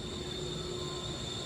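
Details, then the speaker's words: Boiler-room air handler fresh air intake fan: constant high-pitched squeal at steady pitch over the fan hum; belt tension fine, belt slipping in worn V-groove pulleys, pulleys and belt replaced. "okay guys first service call of the day noisy fresh air intake fan sounds like a belt"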